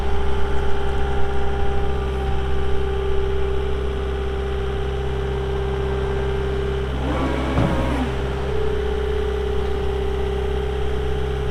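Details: 2022 Caterpillar 259D3 skid steer, 2,058 hours: steady, even low diesel hum with no knocks, misses or surging; normal idle.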